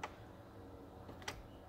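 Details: 2008 Chevy Impala after replacing the HVAC air door actuator behind the dashboard, which caused the infamous knocking when changing air controls: two soft clicks over faint cabin hum, no knocking or binding; normal actuator operation.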